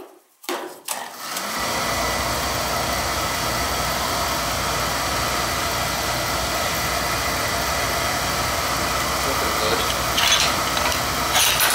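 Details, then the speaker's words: Beckett oil burner that kept tripping its safety control, after loose wires were found and oil flow checked: click and whoosh of ignition, then a steady, even roar without pulsing or dropout; firing properly with good oil flow. "we're getting a good oil flowing it's firing up good"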